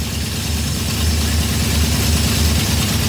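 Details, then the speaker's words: Small-block 307 V8 with FiTech EFI, cold start at about 40°F outside. Steady, even idle held noticeably high with a smooth low pulse: normal cold fast idle before it settles down. "As you can see how high it's idling right now, it needs to idle"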